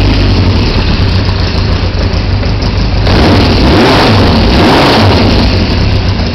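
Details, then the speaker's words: 1973 Honda CB500 with punched-out straight-through Harley mufflers, choke on: raw, loud open-pipe twin blipping up and settling back; owner says it runs on choke then cuts out off choke, suspects fuel starvation from near-empty carbs; unconfirmed here. "So when I start it, you're going to see runs on the choke fine, it'll run off the choke pretty well, and then it starts to give out. So that to me sounds a lot like a fueling issue"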